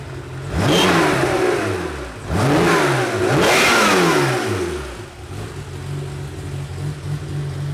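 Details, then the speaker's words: Porsche 911 Carrera 3.2L flat-six, run during a health check (valve adjustment, leak-down and compression tests): crisp blips rising and falling cleanly, then a smooth, steady idle with no knocks or ticks; the engine is healthy. "Taking a little break from transmissions for a while, but this thing is in good shape. It sounds like it's running well,"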